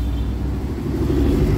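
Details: Mitsubishi Adventure blower motor that had stopped working, ant-infested, rusted relay found as the problem: steady low rumbling airflow at full fan speed, even without rattles or squeals; blower running normally.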